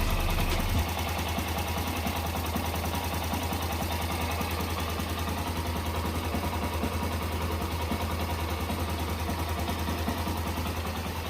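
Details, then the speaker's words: Yamaha Crosser motorcycle at idle after an oil change with Militec added and about 160 ml of extra recommended oil: a smooth, steady low putter with no knocks or rattles. The engine was previously very noisy and is now quiet and normal. "porque eu achei essa moto muito barulhento e agora o motor tá zerado olha"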